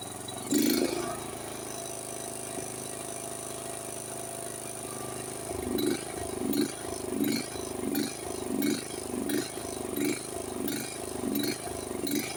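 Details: Honda HS1132 snowblower engine before service: speed rises and falls in a steady cycle and never settles. A clogged carburetor is suspected, probably the idle jet and emulsion tube, possibly the main jet. Engine surging.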